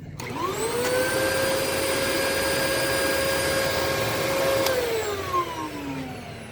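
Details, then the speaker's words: 2002 Dyson DC07 HEPA vacuum, bin removed, no ductwork clogs: motor spins up to a steady high whine, holds evenly, then winds down smoothly; sounds essentially normal with a slightly weird tint. "it sounds pretty normal has a little bit of a weird tint to it"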